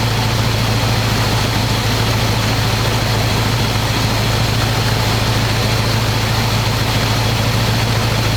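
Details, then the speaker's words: 1985 square-body 454 big block, 4-speed, sat 20 years, oil and filter changed; after adjusting idle screw that wasn't touching throttle, warm engine idles smooth: deep steady open-pipe rumble, even beat, no misses or stumbles. Normal idle. "let's see if I can get this thing to idle you it's idling pretty smooth"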